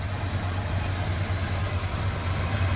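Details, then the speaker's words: Squarebody Chevy C10 truck running choppy after a short drive: low, uneven, loping idle with one cylinder stumbling and a faint buzz; owner suspects a shorting spark plug wire, distributor possibly turned, not confirmed. "Sounds like a shorting spark plug wire to me. Could hear like a little bit of buzzing sound here. See, it's I think that's what was happening earlier why it started running choppy."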